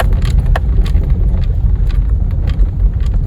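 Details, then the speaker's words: 2011 Kia Rio 2 (JB), driving over bumps at about 0°C: only tyre rumble and road noise, with no squeak. The front suspension squeak was thought to come from the bump stops and was cured by lubricating them. "теперь у нас не скрипит я думаю что это все дело было в отбойник ах"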